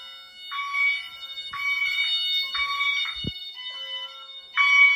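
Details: Honeywell Wave sounder driven by a chime tone driver connected to the LINKS, tripped via smoke detector during fire alarm system test; clean two-tone chime bursts roughly once a second, no crackle: normal chime tone.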